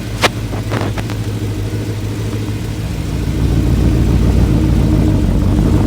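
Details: VW Transporter with twin-turbo RS4 V8, microphone placed down: steady deep V8 rumble building smoothly as revs rise, no knocks or rattles; engine sounds healthy.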